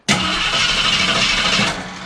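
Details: 1973 AMC Javelin, neglected and long sitting, gas poured down the carb; starter spins under two seconds, never catches or fires. Crank no start; crew believes fuel not being picked up, carb possibly cruddy from sitting.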